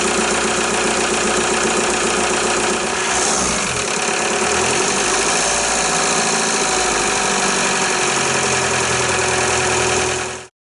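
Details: VW Jetta A3 TDI diesel after glow plug harness replacement: starts after some cranking, then a steady, even diesel clatter at idle with no misses or surging. Running smoothly.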